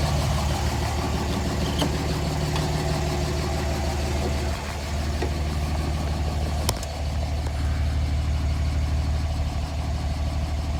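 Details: 2007 Dodge Ram 5.9 Cummins, rough idle for about a month: deep clatter with uneven loping pulses and occasional stumbles; intermittent fuel rail pressure sensor, MAP sensor and overboost codes, owner wonders about blow-by and exhaust sound; cause unknown.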